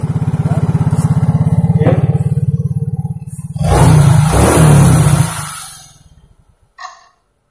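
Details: Yamaha Mio J automatic scooter after fixing lost compression (oil poured into cylinder via plug hole, kicked over): single cylinder catches at once, even idle thump, two crisp throttle blips; running normally.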